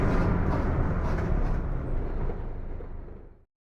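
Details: Mercedes-Benz OF 1721 BTC 5 bus (Apache Vip IV body): loud low droning growl under the diesel as it pulls, easing off as it slows; transmission growling loudly.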